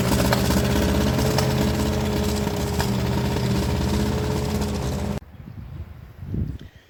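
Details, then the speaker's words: Ferguson TEA20 British Standard engine after valve lash and an exhaust leak fix: uneven, stumbling idle with an irregular crackling beat about four a second that then cuts out; badly worn, likely needs a valve job, with a broken valve spring. "That Ferguson just refuses to cooperate. It don't want to run, man. That engine is in really, really, really bad shape."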